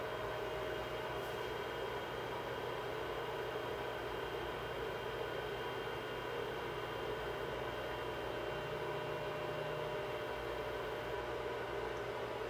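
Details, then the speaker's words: Anet E12 3D printer after fitting stepper dampers on all its motors, homing; soft fan hiss and faint motor hum with smooth motion, no grinding or skipping; quiet, normal stepper operation. "I'll have to going to go ahead and watch this thing go home and listen how quiet this is"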